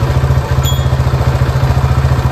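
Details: TVS XL100 BS6 single-cylinder that would not start because a blown fuse, caused by a shorted side-stand sensor, killed power; after the repair it starts and putters at an even, quick idle with no misses or rattles.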